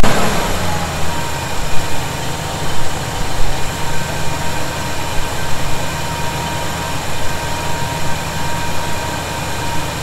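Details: 1971 Chevy C10 after a cold start, with loose fasteners snugged to fix a suspected vacuum leak: even, low idle rumble with a steady beat and no whistle or hiss from the carb base. Idles normally.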